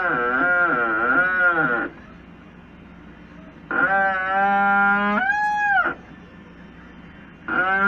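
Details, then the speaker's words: LG Turbo Drum washing machine during wash agitation: loud moaning squeal rising and falling each stroke from lack of maintenance; fixed by lubricating the transmission and brake with powdered graphite, after which the noise disappeared. "esta es una lavadora muy buena pero por falta de mantenimiento presenta un ruido desesperante como este"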